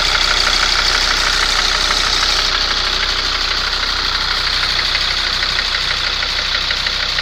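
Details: Mercedes ML W163 2.7 CDI diesel at idle: steady sharp knock about three per second from cylinder 5, vanishes when its injector is unplugged; persists after injector cleaning, swap, head removal and lifter replacement; compression good; cause unknown.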